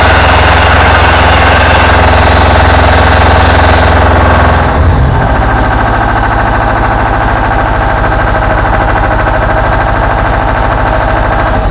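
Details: Deutz 1011 two-cylinder diesel air compressor after teardown and repair, fuel system not bled: drops from fast run to steady, even idle about two and a half beats per second, no smoke, smooth, no miss.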